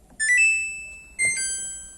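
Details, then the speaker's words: Washing machine under repair for failing to spin dry: two short high electronic beeps about a second apart, the lid-open alarm blocking the spin cycle until the lid is closed and start is pressed again. "อ้าเรมปิดฝาอ่าเรมปิดฝานะครับกดสตาร์ทใหม่นะครับ"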